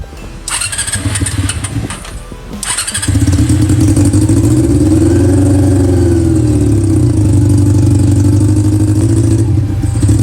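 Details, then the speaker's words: Honda CB400 four-cylinder with four square carburetors in an off-road golf cart, during carb tuning: catches after a couple of cranks and runs fairly fast, revs drift and it won't settle to idle; it revs but won't hold idle, sometimes hard-starting. "มันเบิ้ลได้ครับเบิ้ลได้แต่ว่ามันเดินเบาไม่ได้อ่ะ"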